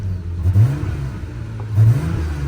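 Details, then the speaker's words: Engine revved: two quick revs that swell, then sag and stumble briefly before recovering; owner attributes the choking blip to a fuel injector issue, also felt pulling away in first gear. "That like little blip choking right there is like that issue with the fuel injectors I was talking about."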